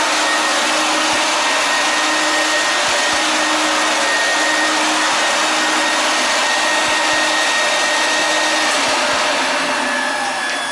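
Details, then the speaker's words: 1988 Numatic WVD 750 industrial vacuum, duplex machine with two B2-1004N motors, 1600 W combined: loud steady high whine with airflow rush, even and unwavering, strong suction; normal running. "it's from 1988 wbd 750 uses two motors monster it's very loud it's got a lot of suction"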